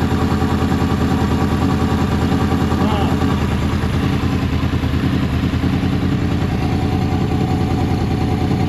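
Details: Warm Honda VFR800 VTEC V4 idling after valve and timing chain work, with a slightly lumpy, uneven beat rather than a smooth hum: throttle bodies badly out of sync; runs far smoother after synchronization.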